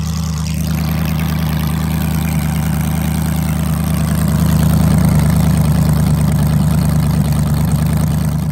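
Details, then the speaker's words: LS-swapped Ford Crown Victoria V8 with new nitrous kit, restarted after plugging in a forgotten connector: deep, even idle with steady low burble, no misfire; running properly, though some intake valve leakage noted. "everything seems to be running all right like we said we had some valve leakage from the intake valves"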